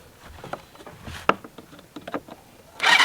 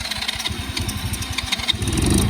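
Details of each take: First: Cheap Chinese kids quad, sat for years, fuse hot-wired, after the spark plug cap was refitted: steady starter churning at about three and a half beats a second with no firing. Cranks but no start. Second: Cheap Chinese kids quad, sat for years, fuse hot-wired, key on, choke off: the starter churns in quick uneven pulses for about two seconds, then the small engine catches and runs steadily. Normal start; the owner suspects a fouled spark plug.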